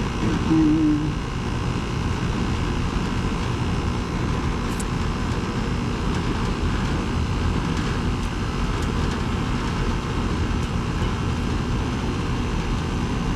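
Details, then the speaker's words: 2010 Carrier GasPack rooftop unit (14 years old), AC run on a 64-degree day after finding the no-heat cause; pressures well above freezing; steady even low hum and drone, no knocks or rattles: compressor running normally in cooling. "Well above freezing. I'd say it's still working. The air conditioning is working."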